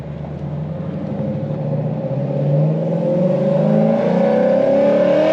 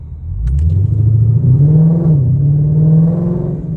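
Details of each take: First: Supercharged Lexus RC F V8 showing no boost: revs with a rising supercharger whine and a fluttering chatter instead of a steady blow-off release; compressor surge with the blow-off valves not opening, a vacuum leak suspected. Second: Supercharged Lexus RC F that had been stalling in first gear after tuning, pulling away after a restart: a deep engine note rising smoothly with no stumble or dying; it no longer stalls, which is thought to be because the relearn happens on the next startup.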